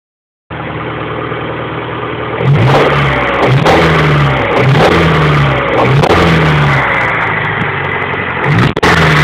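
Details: Honda B21A1 engine revved in repeated blips: deep knock and clatter pulsing with each rise in revs; owner suspects rod knock, unconfirmed.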